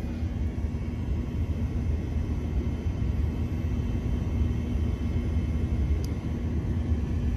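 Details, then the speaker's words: Mini-split/VRF system low on refrigerant with no error codes and normal-looking pressures; it draws only 12 A, about half. The compressor and fans turn very slowly, giving a soft low rumble that never ramps up: low refrigerant charge. "you can even hear the compressors as we speak ramping up so the compressor is turning very slow the fans is turning very slow"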